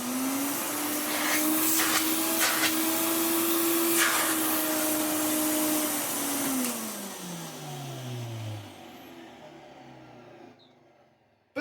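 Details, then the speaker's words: Hoover Sensotronic Total System 20 (1980s vacuum) after motor repair and restoration: steady high motor whine, then smooth wind-down with no grumble; worn plastic inner motor frame had caused horrible wind-down noise, now gone. "no longer has that horrible wind down noise."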